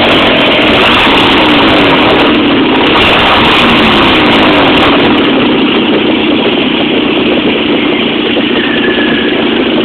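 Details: 1.8T at steady idle with a quick, fairly even tick about three or four per second; owner is pretty sure it is an exhaust manifold leak, source not pinned down.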